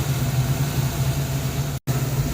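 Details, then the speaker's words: 1994 Mustang GT convertible V8 after adjusting the throttle body idle setting. Now a low, steady, even idle with no stumbles or misses; normal idle. "I changed the throttle body idle adjustment, and now it's idling normally."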